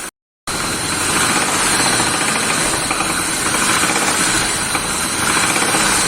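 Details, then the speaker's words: Land Rover Range Rover 4.4 V8 petrol at idle: sharp, fast metallic knock about four per second over steady idle; oil filter later found full of shiny metal shavings; rod knock. "имеется автомобили land rover 4 и 4 v8 бензин имеется посторонний звук двигателя"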